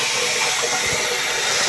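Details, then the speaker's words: Tank refilling after a pipe joint is made, checked for leaks: steady sharp hiss of water rushing through the float valve as the tank nearly fills; normal refilling, no leaks. "Full valve is now nearly up, so we're nearly full. That's what that noise is, yeah, as it goes hissy, hiss, hiss. As it fills up, and we've got no leaks, nada, nothing."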